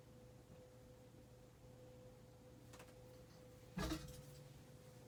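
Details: 52-inch Hunter Mayfair four-blade ceiling fan from 1988, barely used, running on low: only faint steady low hum in a quiet room, no rumble, rubbing or clicking; bearings silent, normal quiet running.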